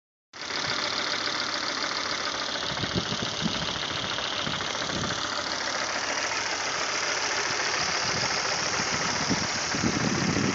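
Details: 2005 Volvo V70 2.4 170 hp at idle: an uneven light knock rides on the engine note and grows clearer later on. The owner thinks it is not fully healthy; the cause is unknown.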